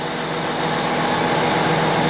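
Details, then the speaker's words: Kubota 96-20 tractor diesel, cold, with a bad starter, finally starting: loud, steady rumble and even roar with no misses or knocks, running smoothly. "That's the sound of an engine."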